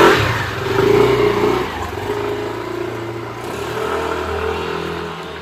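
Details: Yamaha NMAX/AEROX 155 scooter after fix for low-speed take-off judder (gredek) and power gain: engine revs up cleanly, pitch climbing and easing back smoothly, no judder or clatter, pulling evenly through the range. Normal acceleration.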